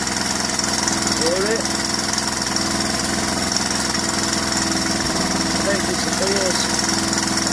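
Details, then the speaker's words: 1981 Honda XL125S, 7,000 miles, low compression, single-cylinder idle: fast, loose ticking rattle about three ticks a second from the top end; cam chain or frozen adjuster suspected, not confirmed. "well once we know why it's making that horrible ticky noise so we'll get these two finished first and then concentrate on this one"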